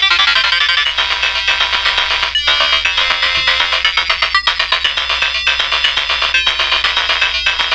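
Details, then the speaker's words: Atari Lynx model 2 with original capacitors, before the capacitor kit goes in: game music is thin, harsh, crackly and low in volume with almost no bass. Distorted, low-volume speaker audio, likely from dried-out audio capacitors. "yeah pretty crummy huh so that's what today's projects going to be we're gonna see if we can't help clear up that audio a little bit"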